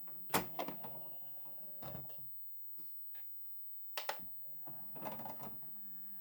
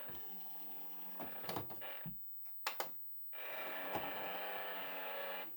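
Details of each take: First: Replacement SureFeed Microchip Pet Feeder: a few short motor whirrs and soft clunks as the lid swings and settles, no scraping or grinding; sounds much better than the noisy original. Normal lid operation. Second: SureFeed Microchip Pet Feeder: a couple of seconds of small motor whirr, then clicks as the lid shuts; abnormal noise when lid closes, cause unknown.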